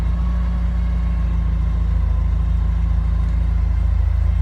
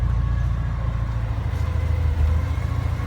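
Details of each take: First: Porsche 944 started after about three months sitting, battery reconnected: smooth, even low idle rumble at about three and a half beats a second, no knocks or misses; normal idle. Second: Porsche 944 at idle: a steady thin whine, never heard before, rides above the idle and does not change; the idle was also described as jumping, and the temperature gauge reads fine. Whine source under the hood not pinned down.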